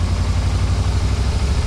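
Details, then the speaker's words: 1991 Yamaha Venture Royale, first start after sitting, cold on full choke in neutral: deep steady rumble at even fast idle, no misses or stumbles; runs good. "no way no way are you kidding me that's funny it runs runs good too"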